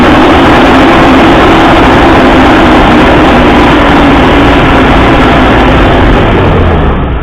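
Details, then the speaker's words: 2005 Mercedes G500 (W463) mechanical engine fan while revved: a loud fan roar climbs with the revs and barely fades as the engine drops back. The fan clutch is seized and the fan roars almost all the time. "So I'm going to rev the engine and then you'll just hear the fan pick up speed but not slow down."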